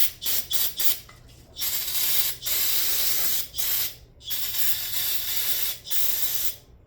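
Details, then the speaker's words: Aerosol carb cleaner spraying the carburetor body of an old Honda-powered Craftsman lawn mower; hissing bursts cutting in and out unevenly instead of a steady jet; user suspects the can is running out. "You know, I don't like the sound of this. It kind of almost sounds like it's running out."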